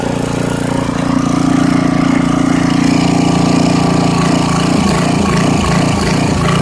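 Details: 1989 Briggs & Stratton 13 cu in 5hp engine with 6:1 gear reduction, off a dethatcher, sat unused for years, first run with no air filter: steady even single-cylinder putter, no misses or knocks, but running slower than it should; low engine speed.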